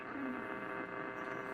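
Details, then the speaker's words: 1947 Lear 662 AM tube radio, warmed up and tuning AM: steady low tube hum under faint static, no crackle or popping; normal for tube radios. "You can hear some humming in the back from the tubes, but background from the tubes, but that's pretty normal for these tube radios."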